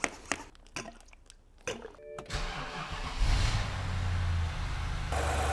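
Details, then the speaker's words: Cold start of a BMW E70 X5 N62 4.8L V8 after valve stem seal replacement for blue smoke and oil consumption: a few clicks, then it catches and settles into a smooth, even idle with no knocks or ticks. "cold start sounds brilliant"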